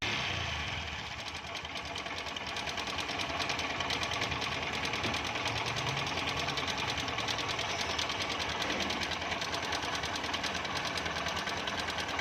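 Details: Engine at idle with a fast, light, clattery ticking about two per second, fairly even, like a loose chain slapping at the top end; timing chain noise suspected, not confirmed.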